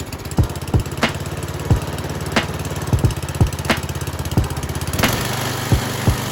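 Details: Restored roughly 25-year-old MTD Yard Machines snow blower, single-cylinder engine on a little fresh gas, first run outdoors after many worn parts were replaced; steady, even speed with a smooth low hum and a few stray clicks; normal running.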